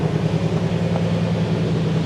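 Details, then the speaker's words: Cadillac limousine abandoned 10 years, night start after a new exhaust flex pipe was fitted: deep, steady low rumble with an even pulse and no misses or knocks, some rattling in the exhaust; normal idle. "listen to how that sounds kind of sounds like a proper Cadillac actually it sounds pretty good"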